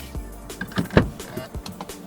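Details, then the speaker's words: Jaguar XF automatic steering column lock, engine off, door opened: short electric whirr and click as the actuator locks the steering, then unlocks with buzzer, music in background; normal operation. "now the moment I open my door the steering will lock you hear that noise it's locked likewise there it unlocks"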